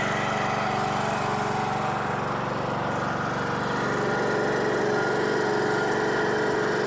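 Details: Troy-Bilt lawn mower after repair, started on jump pack with choke, carburetor flooded at first for unknown reason: fairly steady run with mild rhythmic pulse, no stumbling or knocking; normal running.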